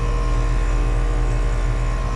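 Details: 2021–2022 outdoor AC units with LG scroll compressors (36,000–37,000 BTU), roughly installed, running in 102°F late-afternoon heat: steady low compressor hum with even fan whoosh, no rattles; working pretty good, normal running.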